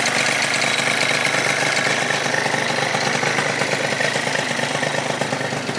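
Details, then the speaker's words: Yamaha Zuma 70cc two-stroke scooter build, first start after rebuild: bright, buzzy idle, steady and even with no misfires or rattles while warming toward 180°; runs healthy. "Well, damn, boys, she runs like a champ."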